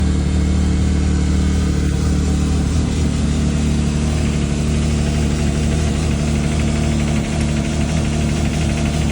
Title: Can am Maverick X3 XMR Turbo RR ticking noise Can somebody tell me what it is?